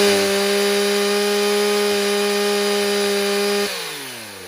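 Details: Stihl 029 chainsaw with 45mm top end, first tank since rebuild: high steady two-stroke scream holds pitch through the cut, winds down cleanly on release; normal healthy running under load.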